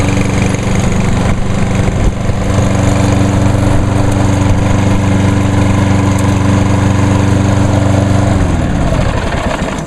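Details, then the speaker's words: 2011 Lawnboy 10606 self-propelled mower, electric-started on a battery left in over winter. It holds a smooth, steady drone for about eight seconds, then winds down evenly at shutoff; healthy running. "Alright, so all the lawnmowers are good for 2017."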